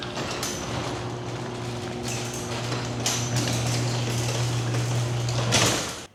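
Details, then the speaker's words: Garage door opening before lubrication and maintenance, microphone clipped to the emergency release string: steady opener drone with rough scraping and clunks, harsh and loud from dry, unlubricated hinges and rollers. "So, as far as I'm concerned, that was not the smoothest operation, nor the quietest."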